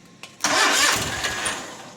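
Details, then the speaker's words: Cub Cadet 1811 M18 engine, bench-run after a hard-start, hard-crank complaint, cranks briefly, then catches at once and settles into a steady run; starts cleanly, though it needs carburetor work and has a cracked block. "oh yeah she going to go yeah I said it needed car work it does so a little bit of carburation work but it's running"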